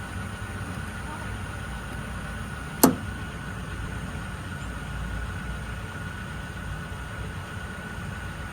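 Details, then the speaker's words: 1983 Chevrolet squarebody 6.2 diesel, first start in years after reinstalling the injection pump fuel shutoff valve and bleeding air. A steady, even idle rumble with no knocks or misses, a little smoky, good oil pressure: normal idle. "fether it sounds pretty good dang a little smoky s sorry neighor"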